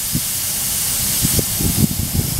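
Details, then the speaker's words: Ingersoll-Rand MC-2A air compressor, first start since October after oil and filter service: loud continuous hiss over low engine thump as compressed air escapes from the split cast fitting at the water separator, which is to be removed and possibly welded. "that sounds one of the first times that I started this up but that cast piece down there split so I'm gonna have to remove this"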